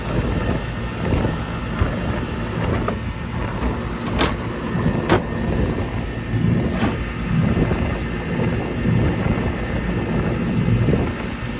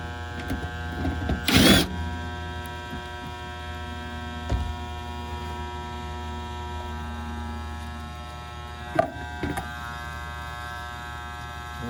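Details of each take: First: Goodman gas pack package unit, about 1999, running after a no-cooling repair (failed run capacitor replaced); steady low hum, no clanks or squeals, some wind noise; running normally. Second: Goodman gas pack package unit on a no-cooling call: steady electrical buzz with no motor spinning up, possibly started that day; motor energised but stalled, run capacitor suspected, not confirmed.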